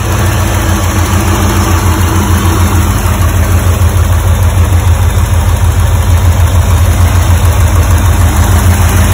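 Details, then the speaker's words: 1985 Porsche 928S V8 after fuel pump and filter replacement and adding a missing quart of oil, first run after sitting long: deep even idle burble, steady beat, no misses, knocks or ticks; running healthy. "Risky business lives. But she's sounding pretty good."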